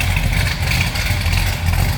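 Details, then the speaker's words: 1970 Pontiac GTO Judge tribute, V8 bored to 469 (about 500 hp), hydraulic Isky custom cam, Edelbrock heads, automatic, warmed up, heard from the rear outside: deep throaty steady idle with rhythmic cam lope; very healthy engine. "Great sounding engine. Definitely throaty. Nice little cam to it."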